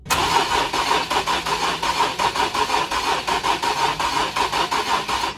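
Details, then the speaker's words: 2013 Infiniti G37 3.7L V6 that shut off while driving, now cranks but won't start: uneven, lurching cranking from under the hood, suggesting a cylinder with low compression from a suspected skipped timing chain. "hopefully you guys were able to hear that, but this thing has a really uneven crank."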